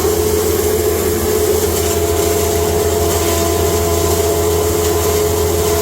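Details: Cattle-feed grinder with rotor and blower, first time grinding hay fed slowly through the hay slide into a bag: steady, even roar and constant mid-pitched hum, no knocks or surging. Normal grinding.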